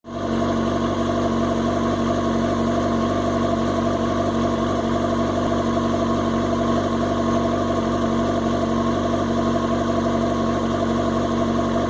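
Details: 2005 Yamaha R6 four-cylinder idling with an uneven, lumpy beat after a spell unridden (only started twice a week); cause of rough idle unknown, owner fears the coils.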